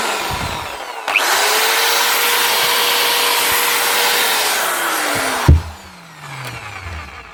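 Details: Metabo SBE 650 drill after replacing its broken switch: clean, steady motor whine holding an even pitch about three seconds, then winding down smoothly; runs healthy, no grinding.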